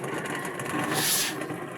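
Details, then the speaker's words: Astron single-tub washing machine, pulsator spinning: harsh gravelly grinding and clacking, very loud; worn gearcase, motor rusted but still working. "Kung maririnig niyo po at mapapansin niyo po yan sobrang ingay po yan. Lagutukan po talaga."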